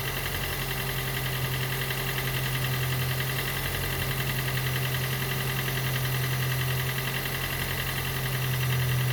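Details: Gen 2 Toyota Prius 1.5L hybrid with codes P3190, P0A0F, P3000 and P0A80, engine running after being spun a few turns while the HV battery charges: labouring idle with a low drone and loose pulsing around three a second. Diagnosed low compression, causing the cold no-start.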